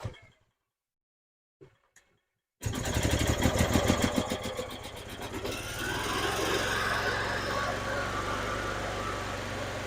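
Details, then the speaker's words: 2012 EZGO TXT gas golf cart, a no-start with spark and fuel, after new carburetor, fuel pump and fuel filter, run on choke; catches after failed tries, running uneven and lumpy before warming up: rough running when cold. "come on oh well it runs now not very good"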